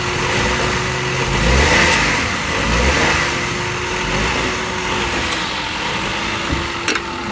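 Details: Suzuki Wagon R after replacing the cracked alternator and compressor belts that had caused a chirping noise: engine catches, revs briefly and settles into a smooth steady idle with no belt chirp or squeal; normal idle.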